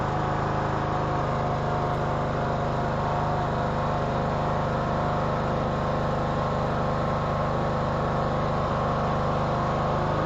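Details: 2014 Troy-Bilt Bronco, Kohler 17 HP Command, with new carburetor, cold start after about an hour off: settles into a smooth, even, steady run with no misses or surging; normal.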